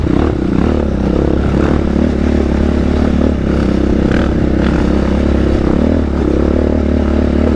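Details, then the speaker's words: Raptor quad riding trails at AOAA: steady engine drone with scattered metallic clanks and scrapes throughout, chain slapping before it popped off; chain failure sheared teeth off both sprockets, caused by a blown rear carrier. "I think the chain popped. You gotta be kidding me. It was clanking the whole way. It was clanking the whole time."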